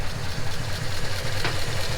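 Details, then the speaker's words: 1939 Ford Deluxe flathead V8 after long storage with fuel stabilizer, warm at 160 degrees: soft steady low burble with even beat and no tapping or stumbling; normal healthy idle, not overheating. "Seems to be running like a top too. Not overheating. Sounds healthy."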